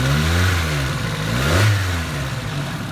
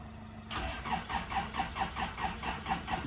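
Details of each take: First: 1985 Toyota Tercel parts car, revived after about a year unused: engine revs up and settles to a smooth, even purr with no top-end ticking, valvetrain quiet and healthy, unlike the owner's other Tercel with suspected lifter tick. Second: '85 Toyota Tercel parts car, cold, not started in about one year, old gas, carburetor pumped several times: starter cranks steadily about two turns a second with even chug but never fires; carb cleaner tried next.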